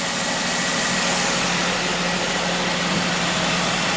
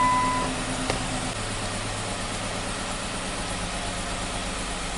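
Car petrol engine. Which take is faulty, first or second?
second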